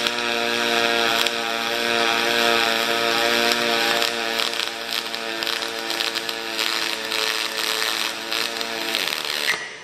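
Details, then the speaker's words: HTP Revolution aluminium pulsed MIG welding on a coffee pickup truck frame: steady buzzing crackle whose pitch shifts as the trigger cycles current up, settles and backs off; normal pulsed aluminium weld. "I'm going to um run a few Wells you should you should hear this cycling you should hear the pitch change as I change cycle through the trigger operation"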